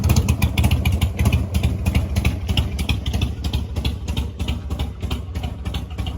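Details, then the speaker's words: Mini Harley-Davidson chopper V-twin at a cold idle. The speed lifts and sags unevenly because the choke won't hold fully out and creeps back in, so the idle hunts. "So you guys might have noticed the Harley kind of sounds like it's like high RPM, low RPM. So there's a story behind that. For some reason my choke doesn't want to like hold it tight, so like the choke will slide back in and not stay all the way out when I'm first"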